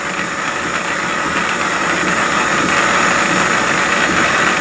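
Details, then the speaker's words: Antique wood lathe during restoration, old motor running: steady, even, smooth and quiet whir at one speed with no grinding or knocking; old motor quieter than new motors; normal motor running. "I'll turn this on do you anybody wants to listen to it run? Nice pretty smooth quiet It's what an old motor on it as well, I like the old malt is lower than the new motors"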